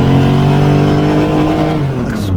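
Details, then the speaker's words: Freshly rebuilt engine on its first run: steady high revs that falter and sag near the end; above about 8,000 rpm it smoked and stumbled, a misfire at high rpm, gradually improving. "every time i took it above about 8 000 rpm it smoked but it seems to be getting better now"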